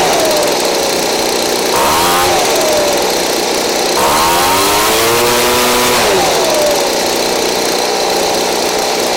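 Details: Craftsman 29cc two-stroke blower, received missing its spark plug and with no gas, now fitted with a Chinese aftermarket plug from a carburetor kit; revs up and drops back twice, picking up cleanly and idling steadily, the cheap plug works.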